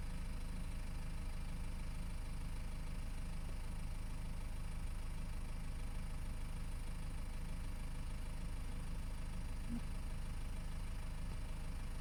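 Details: BMW E60 520d 163 hp automatic, diesel idle with a regular metallic ringing about twice a second, loudest near the oil pan at the engine-gearbox joint; owner suspects balance shafts, torque converter or flywheel. Not confirmed.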